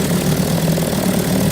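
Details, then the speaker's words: 1957 Evinrude 7.5 outboard in gear at trolling speed: leaning the high-speed needle makes revs rise, richening drops them; high-speed needle should not affect idle, fault still being diagnosed. "Cutting the fuel on the high speed. Hear it rev up? I'll richen it up. It's dying down. Lean it up on the high speed, and then the idle's picking up. It's not supposed to do that."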